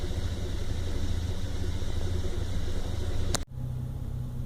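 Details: 1997 Toyota Land Cruiser FZJ80 (1FZE six) at idle: a lumpy, irregular low throb with no steady beat, a rough idle carrying to about 2000 rpm; MAF and vacuum leaks were checked, and the owner thinks a driving-induced ECU reset fixed it.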